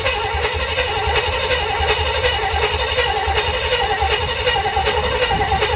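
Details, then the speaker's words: 1958 Chevrolet Bel Air 4-door hardtop, engine rebuilt at a vo-tech but never finished, first start attempt with 2-stroke gas in the carburetor: steady, slightly uneven chug about once a second, never fires. Cranks but no start. "I'm gonna say no fire. Let's see. Nope."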